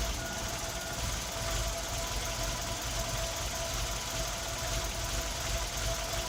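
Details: Tino engine misfiring at idle: lumpy, uneven idle with irregular stumbles and a loose knocking beat instead of a smooth hum.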